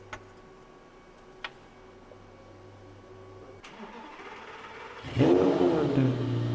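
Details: 2008 Lamborghini Gallardo Superleggera started after oil change with first 6 quarts added to check oil pressure: a couple of clicks, short crank, engine catches and flares cleanly into smooth, even idle; healthy start.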